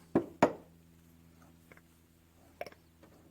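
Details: McCormick Deering 3 hp type M engine fuel pump, rebuilt with reground check-ball seat and new solder, stroked by hand: a few crisp, evenly spaced clicks and soft knocks as the check balls seat cleanly; normal fuel pump operation.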